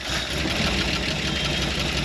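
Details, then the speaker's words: Early-1960s Ford F100 unibody abandoned 25+ years, just revived and idling at 60 psi oil pressure with an exhaust leak. Light fast ticking rides over the V8 rumble. Noisy lifters. "some noisy lifters"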